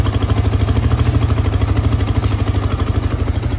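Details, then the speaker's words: Yamaha R15 V3 after engine noise repair, following bad earlier work elsewhere: steady even idle, clean regular pulse about three beats a second, no knocks or rattles; sound now OK. "ये है original sound इसकी तो अपने भाई लोगों ने इन्होंने किया काम देख सकते हो तो भाई अभी तो साउंड वगैरह भाई सब कुछ ओके है"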